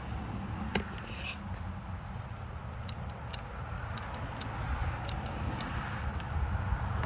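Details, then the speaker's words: Suzuki Boulevard motorcycle won't start: sharp, irregular clicks come from a switch each time the starter button is pressed, with no cranking and no engine sound. "well you hear that clicking noise is coming from the switch right here"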